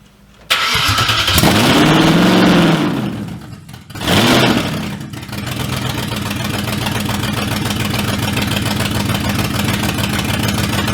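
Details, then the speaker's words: Porsche Cayman with V8 swap: engine catches then settles into a lumpy, uneven idle with a hollow beat, running on only four cylinders as one whole bank isn't firing; compression or timing suspected, not confirmed. "well the car runs but only on four cylinders by what we can tell I don't know if you quite got the gist there the whole Bank just doesn't seem to be firing"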